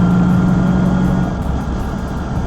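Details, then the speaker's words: LS1-swapped Mazda RX8 with an AR5 5-speed from a 2005 Colorado, cruising in 5th at about 60 mph and 2,500 rpm: thin constant whine above the engine drone; owner suspects the solid mounts or the transmission tunnel. "So currently, as you can hear, it's got a little bit of a whine to it. I'm currently cruising in 5th gear."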